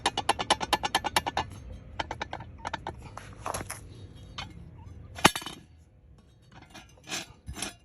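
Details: Corvette C7 factory two-piece brake rotor, driver side, rocked by hand: quick light metallic clinks from the loose rotor, which rattles at 10 mph over small bumpy roads.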